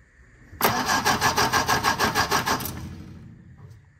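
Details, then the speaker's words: 1957 MG MGA roadster, stored for many years, on another start attempt. The starter cranks steadily but the engine won't fire. The middle two plugs were black and were cleaned; spark is confirmed, so the owner suspects a fuel problem. "okay we are getting sparked there so again I'm back to thinking this is a fuel problem"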